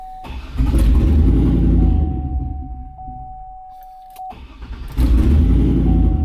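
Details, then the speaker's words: Turbo LS V8 truck on E85, no flex sensor, HP Tuners tune scaled for gasoline: catches, surges, sags nearly dying then recovers, rough hunting idle running lean at about 17 AFR after adding fuel; needs more injector fuel. "all right there we go so it's a little bit happier with the fuel in it so it's idling now around 17. so it is lean it does need more fuel"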